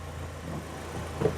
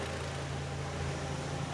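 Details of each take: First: BMW 116i E87 N45 1.6L after replacing both VANOS cam timing adjusters for a top-end rattle: steady, even low idle; the gearbox input shaft noise, possibly linked to dual mass flywheel removal, goes away when the clutch is pressed. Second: BMW 116i E87 N45 1.6L petrol idling after VANOS cam adjuster replacement, clutch engaged: low busy rattle from gearbox input shaft that disappears when the clutch is dipped; possibly linked to removed dual mass flywheel.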